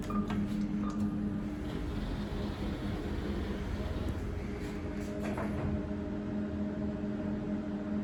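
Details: Kone MonoSpace EcoDisc car park lift travelling with a steady droning hum and persistent low tone, rougher than normal; bad machine bearings suspected.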